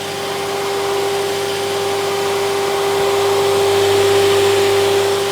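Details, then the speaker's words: Logosol PH260 moulder started up with no cutter blocks fitted: a steady, high belt screech over the motor hum, with some drive belts thought too tight and others too loose. "right what we shouldn't be having is screeches from the belts on start up because it's not even got any blocks or cutters in it yet"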